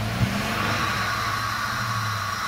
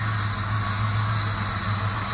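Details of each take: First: 1997 Dodge Caravan after fixing bad ground contact in harness by bending pins: steady even engine note with smooth low rumble, no knocks or misses, holding revs; previously would not start. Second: 1997 Dodge Caravan just started after harness contact repair, not yet warmed up: steady low engine drone with loud hollow rushing; intake roar because no air filter is fitted.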